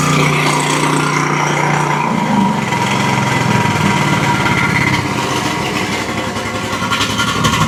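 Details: Briggs & Stratton Intek V-twin on an Exmark Quest zero-turn mower after valve guide fix, first start, running on a jump pack: strong, steady run, loud muffler and smoke from one side, no stumbling or bogging, plenty of power.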